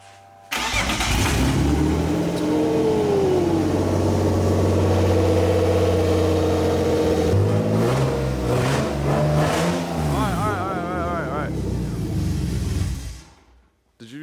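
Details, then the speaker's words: BMW E30 on its first start, still not on the ground, with the old Walbro 255 fuel pump refitted after the new one failed: it catches at once, settles, and revs up and down cleanly with no misses or knocks. Normal start and run. "so through the old one back in the wall bro 255 and it literally fired right off and it runs"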